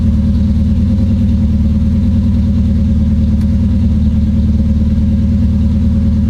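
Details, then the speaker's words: Supercharged KA-swapped Nissan 240SX after a coil-on-plug ignition conversion, launch control on a new circuit: engine held at a fixed, choppy rev with rapid stuttering cut-outs. Launch control is stuck always active; the ECU was not the cause. "no so currently i have green on launch and i don't want that launch control is always active so that is not currently working"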